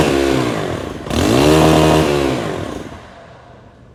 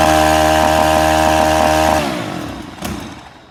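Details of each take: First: STIHL FS 131 R trimmer, hard to start, won't stay running, no mid-range; choked and revved, it falls away to near stalling when the throttle is released, an air leak, with an oily valve cover. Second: STIHL FS 131 R trimmer, previously hard to start and unable to idle or run past half throttle, after repairing a tiny hole in the valve cover: steady, even buzz at constant pitch, no surging, clean wind-down at shutoff; running healthy.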